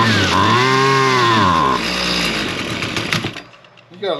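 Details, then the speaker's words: Husqvarna straight-shaft string trimmer, two-stroke, started on half choke after purging and two pulls; screams up briefly then revs sag and die within seconds, fires but won't stay running; carburetor adjustment planned, cause unconfirmed. Stalling after start. "I think we're going to try to just uh hit the adjustment on that carburetor. But it did fire up and it's definitely not staying running."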